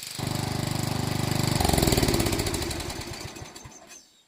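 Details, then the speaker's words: 12 HP Briggs & Stratton flathead after sump gasket repair and carburetor cleaning: chugs steadily at idle with choke off, picks up cleanly to full throttle, then winds down; runs healthy, no leaks. "Choke off. That's idle. Go back up. Yep. Way full throttle. There it goes."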